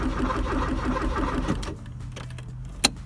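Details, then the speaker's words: 1984 Porsche 944 after starter replacement and fuel tank swap: quick, even cranking that never catches. Tach bounce suggests spark and the fuel pump runs, but the injectors seem not to fire, possibly due to an aftermarket alarm. "I can also hear the fuel pump running but I don't think the injectors are firing"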